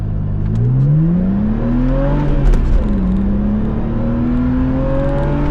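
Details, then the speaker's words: Manual BMW Z4 3.0 six, bought sight unseen, driven hard: deep even engine note climbing smoothly through the revs, dipping at a gear change then pulling again, ripping and smooth, healthy acceleration. "Oh boy, does it rip. It's just so smooth."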